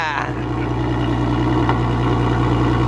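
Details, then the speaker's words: Mk5 VW R32 with newly installed valved aftermarket exhaust, valve switched by remote at idle: steady deep burble turns much louder and fuller as the valve opens, then settles into an even drone; normal valve switching. "Do it again. It's so funny. Valved exhausts are so cool. Much louder."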